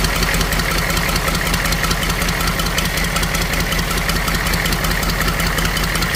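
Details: HUMVEE H1 6.2 diesel started after fuel injection pump rebuild kit for a fuel leak, manifold off: even clatter with steady ticking over a firm low rumble, no stumbling; normal diesel idle.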